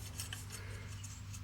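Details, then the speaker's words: Stihl MS181 chainsaw bar nose sprocket spun by hand during service: gritty rasping rub instead of smooth spin; dry sprocket, improved after 3-in-1 oil worked in. "be fair that doesn't sound the best sound the best we're going to put a bit of three on one oil on that and we'll just work that in"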